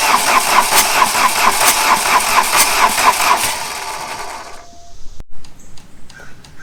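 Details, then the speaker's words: 1989 VW Jetta diesel 5-speed, about 118,000 miles, parked 14 years; solenoid has 12 V, warm-up lever pulled, not yet bled; starter churns two beats a second for about four seconds, no firing; cranks but no start. "i'm just gonna pull the warm-up lever on the dash let's turn this thing over i don't know and see if it'll crank"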